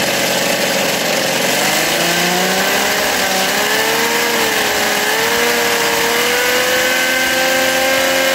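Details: Philtech V12 model aircraft engine, 108 cc liquid-cooled two-stroke glow engine with miniature radiator, warmed up: high buzzy tone climbs smoothly as throttle opens and holds clean without stutter; normal revving.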